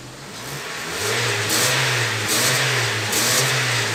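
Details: Honda New Civic that whistled when accelerating, after exhaust work that fixed it: engine revs up cleanly, steady even exhaust note without whistle or hiss; normal revving.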